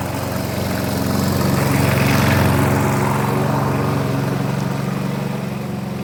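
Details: Briggs and Stratton engine on a customer's 1988 Alco push mower (cut and drop, no collector), running after service with new blade; steady even drone with smooth firing beat swelling briefly under cutting load and settling, runs healthy.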